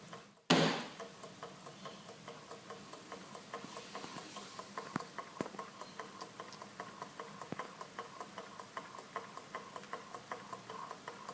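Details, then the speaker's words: Small kit-built Stirling engine, warmed and started by nudging the top wheel: faint ticking at a steady beat, gradually quickening as it reaches momentum, very quiet and running smoothly. "You can actually just about hear it if I shut up. That's how quiet it is, but you can just hear it speeding up. Isn't that beautiful?"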